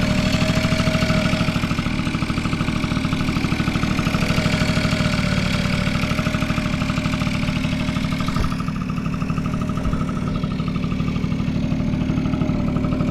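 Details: Vintage Honda Squash (AB11-1064) 12V moped with electric starter, running test: small single putters at an even, steady idle with no knocks, ticks or misses; no abnormal engine noise, quiet and healthy.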